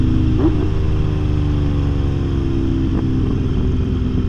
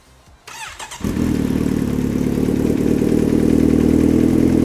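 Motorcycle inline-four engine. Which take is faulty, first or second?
first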